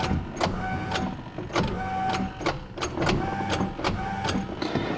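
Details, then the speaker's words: Mitsubishi Evo 8 on a key start attempt: slow, laboured clunks about twice a second with a thin whine, engine turning sluggishly and not firing; starter suspected failing and replaced. "As you can hear, I don't know if the audio picked it up, she's not starting. So, I mean, so with this car, it's been one thing after one thing after another. In this video, we're going to be working on putting a new starter."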